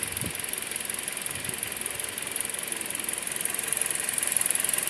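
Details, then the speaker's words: 2007 Toyota Auris 1.6 1ZR-FE, 190,000 km, robotised gearbox, burning about 1 L oil per 1,500 km: relatively quiet, even idle with soft hiss and light pulsing, no extraneous noise in cabin. "двигатель работает относительно тихо в салоне посторонних шумов не слышно"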